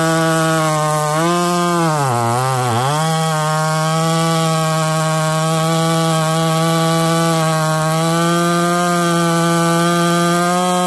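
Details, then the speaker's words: Husqvarna 288XP clone two-stroke chainsaw at high revs in the cut, briefly bogging then recovering; the oil pump/oiler isn't feeding the bar, so the chain is going dull. An OEM oiler is planned as replacement. "oh okay I'm sure you guys can see and hear it change starting to go dull Euler's not doing its job"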